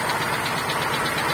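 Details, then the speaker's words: GAZelle 2775 brought in towed with a snapped timing chain, bolts of the intermediate shaft sheared; after new chain, pump, pulley, crank seal and gaskets, it runs with fast metallic ticking over a rough idle. Compression 8–10 atm, source unclear, suspected not confirmed. "Посторонний звук от двигателя наблюдается. Что за звук, непонятно, поскольку машина к нам приехала на буксире с оборванной цепью."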